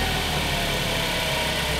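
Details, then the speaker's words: 2015 Ford Focus just after transmission actuator replacement and throttle body cleaning, started first time: steady, even idle with some hiss and no misses or hunting; the engine runs smoothly. "now that the throttle body is clean and I have new actuators in there sounds great"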